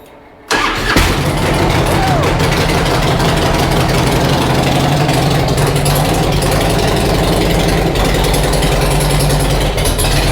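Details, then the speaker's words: Harley Road King V-twin with new cams, not yet tuned for them, restarted in garage after stalling and running rich, oily engine smoking: starts first crank into a loud, steady, slightly rich idle; valve train ticking quieting down nicely. "Looking pretty sick though. I think everything's good so far."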